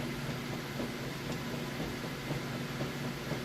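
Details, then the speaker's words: Whirlpool washer on super capacity setting with heavy jeans and towels load, agitating: even churning swish about twice a second over smooth motor hum, no knocking or scraping — normal agitation. "it's on super super capacity there's a real good job as you can see it sounds real good"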